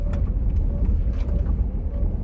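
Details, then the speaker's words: Terminal supercharged L322 Range Rover V8 brought back to life, driving under load with no check engine light: uneven, lumpy low rumble as if running on about six of eight cylinders; misfiring, something loose or missing, owner suspects clogged cats. "there's definitely something loose or missing still I mean the check engine light hasn't come back on yet but it's not running on eight it's running on much less than eight maybe six"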